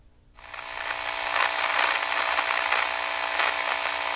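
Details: RCA 8-X-541 vintage radio after recap and resistor replacement: loud hissing rush with irregular crackles, signal-traced at the IF stage (12SK7 plate, pin 8, near transformer T2).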